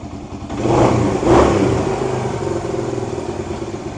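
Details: 1978 Kawasaki KL250 single with new fabricated exhaust, cold on full choke, after cleaning points, static timing and new petcock: two quick crisp blips then fast clean idle; revving much better than before, points likely just dirty.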